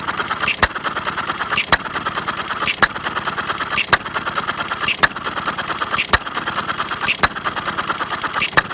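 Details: Half-scale Domestic side-shaft hit-and-miss model engine, 9-inch flywheels, make-brake ignition, gravity-fed fuel, set to run fairly slow in cold weather; sharp pops about every 1.1 seconds with coasting clatter, steady and healthy.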